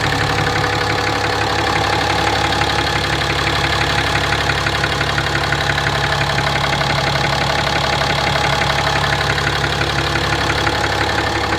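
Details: 2017 RAM 2500 6.7 Cummins diesel, 12,100 miles, Rotella T 15W-40, tows fifth-wheel RVs, idling: a deep, steady knock about three times a second that it has always had. Oil analysis shows high iron; the source is unknown.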